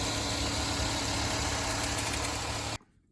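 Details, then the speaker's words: 2014 Hyundai Santa Fe after fixing a crank-no-start via a relay built into the EMS box: steady, even idle hum with no misses, knocks or ticks before shutoff; engine running smoothly, no check engine codes. "start okay started it's running now so I switch it off and I'll put everything back together"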